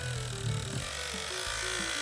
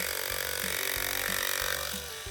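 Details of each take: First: Andis AG animal clipper after a bent latch caused noise: even high-pitched buzz with no rattle or chatter. The motor runs smoothly and much quieter until the latch is released; the latch is to be replaced. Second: Andis AG animal clipper under repair: high, thin motor buzz with uneven rattle pulsing about twice a second; bent blade latch lets the blade chatter, runs much quieter until the latch is let go, latch to be replaced.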